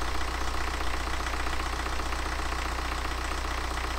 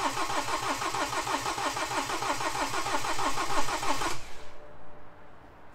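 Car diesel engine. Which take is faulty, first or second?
second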